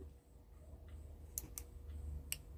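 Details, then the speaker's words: Taramps T0302 mixer at power-on: a few sharp little clicks after a second or so as the output muting relay, which grounds the signal at switch-on to block the amplifier "puff", releases and opens the output; normal. "viu Tec ele ligou e abriu os contatos da saída"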